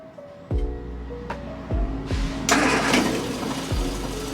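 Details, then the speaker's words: Long-abandoned MG Midget on first start: several cranking bursts, then it catches and runs unevenly with lumpy, stumbling firing because the ignition timing is off; distributor then rotated to improve it; background rattle is the heater, not the engine. "so as you just heard the engine did start didn't sound the best as the timing was out"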